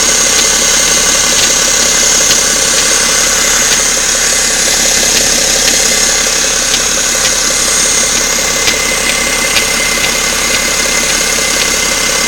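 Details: BMW 530xd diesel at idle: sharp, even knocks at roughly two or three a second over a steady diesel idle; clear internal engine knock, source unknown.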